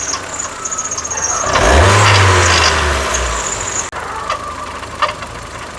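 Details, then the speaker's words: Ford EcoSport with Sigma engine: loud rough grating whirr, sounding like internal knocking or rattling, swells as revs rise then settles over steady running; worn water pump bearing with pulley play. "Essa é uma EcoSport, tá fazendo esse barulho no motor, parece um rajado, o motor grilando, né? Parece barulho de motor mesmo."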